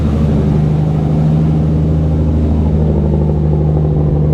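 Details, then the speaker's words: Nissan Skyline R33 with RB25DET turbo six, warming up before dyno tuning after oil leaks were tightened: deep, even exhaust drone swelling smoothly with throttle, no misses, pops or rattles; normal healthy exhaust note. "So while I'm waiting for this to warm up, let's get a sound of the exhaust because it sounds so good."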